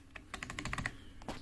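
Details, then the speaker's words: Old mechanical keyboard with Cherry-style stabilizers, spacebar stems and wire lubed with Permatex 81150 dielectric grease: crisp, short clacks with no tinny rattle after the spacebar strokes. The stabilizer is quiet. "depending on the age of the keyboard and the stabilizer quality the results may vary but sounds pretty good to me"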